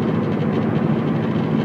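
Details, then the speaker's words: 2007 Subaru Impreza 5-speed hatch at highway speed: heavy low drone carrying through the whole car, worse on acceleration, propeller-like beat, possibly more from the rear; not a tire, suspected drivetrain vibration rather than the reported wheel-bearing noise. "really does sound like it like a bad tire but it is it's definitely not a tire it's way too heavy it's pronounced through the whole car"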